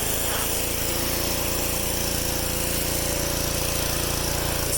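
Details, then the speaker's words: Pressure washer with a rebuilt CAT pump, run outside after the rebuild. Steady even engine drone with a fast regular pump pulse and no knocks or misses; running fine. "take it outside and fire it up see what happens just be running fine"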